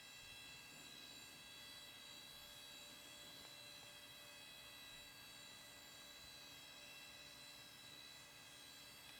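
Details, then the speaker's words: Thrift-store junk PC, a second hard drive with an old Red Hat Linux install, running: a thin, steady high-pitched whine over the fan hiss, a screaming hard drive, possibly worn bearings. "so man that drive sounds like crap"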